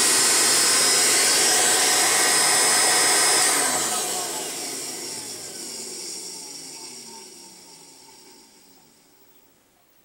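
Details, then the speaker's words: 33-year-old Electrolux Discovery 3 (1572E) upright vacuum, motor running alone without the brush: a high, steady whine for about three seconds that winds down smoothly with no rattles or scraping; normal motor run. "This thing never quits, and I like this machine. This is motor alone. Listen to how well this thing runs."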